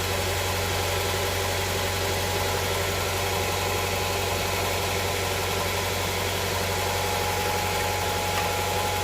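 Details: Honda Prelude SH after oil cooler/adapter gasket replacement, oil filter refitted, started to check for leaks: steady, even idle with smooth low hum and faint background hiss, no knocks or misses; no leak seen after about ten minutes.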